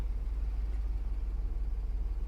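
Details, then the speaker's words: Revived 1997 BMW 740i V8, after fuel pump replacement and fresh fuel, running while driven forward and backward: a deep, even throb at about 12 pulses per second with no misses or knocks; running well. "she is alive and well oh I'm a happy camper I am a happy camper she sounds really good"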